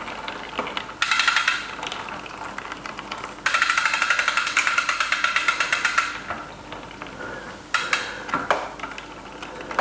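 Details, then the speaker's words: Bicycle with a newly fitted SRAM AXS electronic groupset, on the workstand during post-ride fine-tuning before chain shortening: bursts of fast light ticking and rasping as the cranks turn; drivetrain rubbing, owner thinks it is just the chain noise going across. "Definitely sounds like something rubbing there, but I can't see what cuz I'm getting daylight. I think it's just the noise of the chain going across there."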